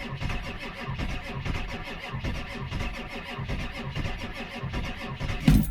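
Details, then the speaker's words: Ford F-350 Powerstroke diesel cold start at 40 degrees with a bad, smoking starter and weak batteries: labored, uneven cranking at about four chugs a second that never gains speed; starter lacks power, though it eventually started. "she just don't have enough power to"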